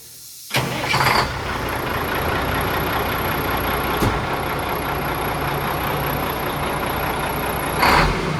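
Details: Mack Superliner diesel, first start after engine repair: catches after a short crank and settles into an even, steady idle with air hisses, no misses or knocks. Running healthy. Formerly white smoke (fuel pump suspected), black smoke now.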